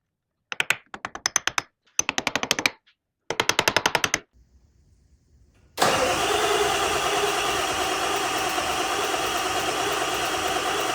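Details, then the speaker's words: Barn-find OBS Ford F350, 7.3 Power Stroke diesel, cranked on borrowed batteries: bursts of rapid starter chatter at three to four beats a second with no catch. Cranks, no start; smoke shows injectors firing, stale diesel suspected, glow plug condition unknown. "Okay, that's fuel. So, we have fuel being the injectors are firing. If they weren't firing, we wouldn't have that. But the problem is that diesel is super stale."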